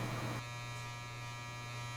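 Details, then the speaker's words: Electric faux fireplace: the small motor vibrates against the bare sheet-metal case with a steady low electric buzz and metallic rattle. Moving and pressing on parts didn't cure it, so the unit is being taken apart. "After moving it around and pressing on different parts of it to see if the vibration and noise lessens, I've decided to take it out and we're going to take it apart and see what's generating this noise."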